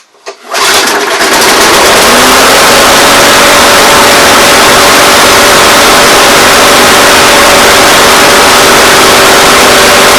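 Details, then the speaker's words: MTD mower with Briggs & Stratton engine that had zero compression, a bent throttle control and a worn primer bulb. After a new plug and a try-start, it catches within a second into a loud, steady, even buzzing run and sounds healthy. Owner plans a new head gasket. "okay I don't know about you but that sounds pretty good"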